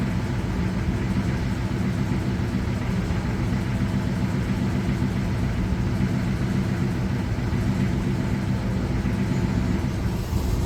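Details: Ford Thunderbird V8 on its first run after the engine was pulled and upgraded: deep, steady rumble at an even idle with no knocks, ticks or whine. Engine sounds healthy.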